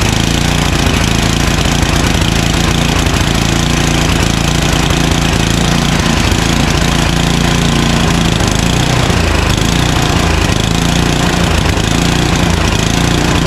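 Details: Craftsman 29" snow blower, 9HP Tecumseh single, long-stored, first pull, on choke at full throttle: loud uneven hunting, speed rising and falling; surging, suspected dirty carburetor, later traced to blocked pilot jet.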